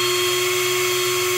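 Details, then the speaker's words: Black & Decker drill in speed two (high gear): steady, high, even whine while spinning freely, faster with slightly less torque, then cuts off cleanly; runs normally. "as you can see it turns a bit faster"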